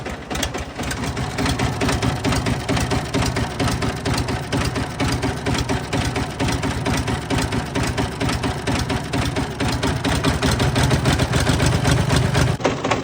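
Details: Fiat 450 Special diesel tractor on a very cold day, run after working ATF out of cylinders and sump: heavy regular knock about two a second through rough idle; later flywheel spins without the internals, crank suspected snapped.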